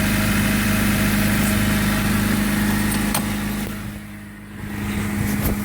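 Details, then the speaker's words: 2000 Honda Civic at idle, rusted resonator/B-pipe held temporarily with duct tape and coat hanger before replacement: smooth, steady low drone with regular pulses, no hissing or ticking, no exhaust leak heard; normal idle. "might might still make a little noise what exhaust leak I don't hear anything I don't hear"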